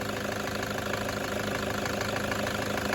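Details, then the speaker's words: Toyota 1KD-FTV D4D diesel SUV at idle, injectors replaced about five years ago, low kilometres: intermittent clattery knock about twice a second over steady rattle, suspected one injector; possibly bad or contaminated fuel, exhaust smells rich; injectors to be removed for inspection. "this is the first one I've ever seen that I'm actually agreeing it's got a bit of a knocky weird knocky noise that does sound to me like one injector which coincides with the feedback"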